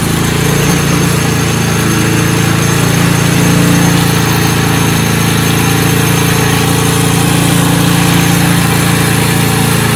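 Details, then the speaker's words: Snowblower small single-cylinder engine after fuel system and carburetor repair for no-start, choke in middle: steady even chug at constant speed, no surging or stalling; normal running. "So I was pretty close to pull the trigger and go and buy a new snowblower, but managed to salvage that one."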